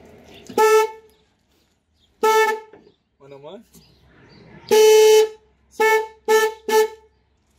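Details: VW Golf 2 1.8 RP, one of two horns had been defective and blowing fuses: six sharp, steady-pitched horn blasts with quiet gaps, clear and strong, working properly.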